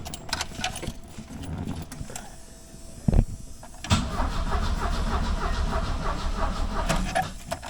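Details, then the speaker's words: 1976 Alfa Romeo Spider parked 24 years: starter churns in an uneven, slowing rhythm, battery weakening, engine never catches; fuel pump still not delivering as needed. "they say expectations are the thief of joy and uh my expectations were that this pump was not going to be a problem at all um it's not doing what I need to do right now"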